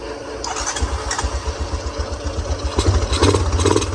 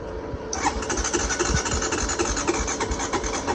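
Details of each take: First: Honda Recon 250 ATV, after a no-spark no-start repair, fuel shutoff cleaning for old ethanol fuel and fresh fuel: small single catches after cranking and settles into a steady low thumping about four beats a second, running evenly. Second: Honda Recon 250 ATV with an earlier no-spark fault fixed by swapping the ignition box, gas poured down the pipe: the starter turns the engine over sluggishly, about three beats a second with no firing; slow cranking from a weak battery.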